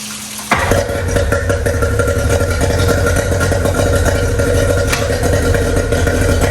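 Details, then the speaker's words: Outboard on a 1999 DuraCraft 1648 bass boat that sat at least 6 years, run on ethanol gas. Uneven, sputtering beat with missed pops instead of a clean drone; owner suspects a clogged carburetor jet. "she's a little sputter I let her run for a while and forward and you know wide open it sounds like it's missing a little bit I said it's probably a Clogg jet on one of them carburetors"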